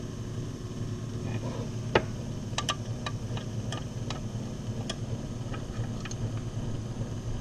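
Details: Older key-cutting machine's electric motor after repair and refitting with its belt: low, even hum with a few light handling clicks; the machine is working again.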